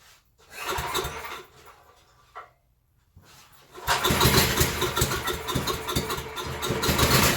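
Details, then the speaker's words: Surging generator being pull-started on choke: the engine fires, then its speed swells and sags unevenly instead of holding steady; slow-draining fuel suggests a clogged supply; governor spring and idle adjustment considered. "all right so there's a couple of things we can do we can first try to adjust the idle so that it doesn't come down so much and we may have to put a spring on this Governor"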